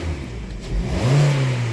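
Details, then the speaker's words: Hyundai/Kia petrol engine with code P1326 (knock detection TSB) cleared, snapped from idle while listening for rod-clearance clunk; revs up smoothly and settles back with no knock or clunk, normal throttle snap, no rod knock. "I'm listening for any type of knock too down low. Because normally if there's like any issues with rod clearance, it's gonna be blatant."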